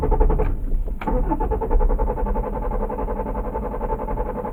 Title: Mommy's Car Won't Start After Shopping